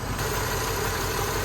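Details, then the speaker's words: 1978 Jeep Cherokee SJ, idling in park, heard at the exhaust: loud, low idle with a shaky, uneven throb. The engine is running on seven cylinders; recent rain and bad spark plug wires are suspected, with new wires, cap, and rotor planned. "if you give it some gas back to park let's go around to the exhaust and listen to it and you hear that that's that cylinder misfire"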